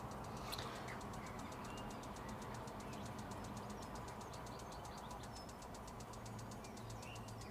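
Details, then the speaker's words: Autosleeper Nuevo motorhome gas fridge lighting: steady fast igniter ticking over a quiet hum, then the dull sound of the burner running; normal ignition. "and again you'll hear that ticking and then once you can not hear the chicken anymore and you should be able to just hear a dull sound of the actual gas burner working away and lighting up and actually working"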